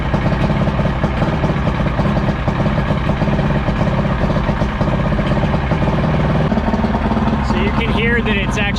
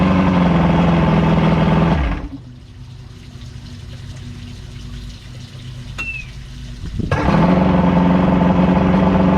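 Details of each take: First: Evinrude V4 crossflow outboard (88–115 hp) on the hose after replacing the cam follower roller, timing about 6–7° BTDC, idling cold: lumpy, uneven choppy beat that should smooth out once warm or with the warm-up lever advanced. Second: Evinrude V4 crossflow outboard shut off, then restarted first turn with no choke, settling into a smooth, non-choppy idle after throttle cam follower roller replacement and link-and-sync, timing about 6° BTDC.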